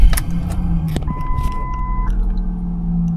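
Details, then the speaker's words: 2002 Ford Mondeo Mk3 2.5 V6, 245,000 km, dash check at startup: single steady electronic beep about a second over quiet idle; low fuel warning beep. "Okay, that beep is for the fuel gauge. You can see we're a little bit low."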